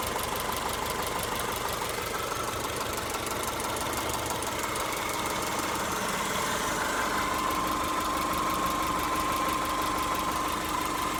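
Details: Subaru EJ201 naturally aspirated flat-four idling with a fast, fairly regular light ticking/pinging over the running note. Owner thinks it isn't the timing belt tensioner, though that commonly fails on Subarus; cause unknown.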